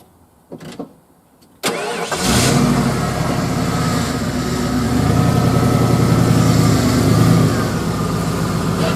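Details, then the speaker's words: Truck cranks, catches and settles into a loud, slightly uneven, lumpy idle; rough running, getting jumpy after driving, with a throttle issue; owner suspects it needs new plugs; a replacement ECM later improved the idle. "So, it's running a little bit rough. I think it probably needs new plugs."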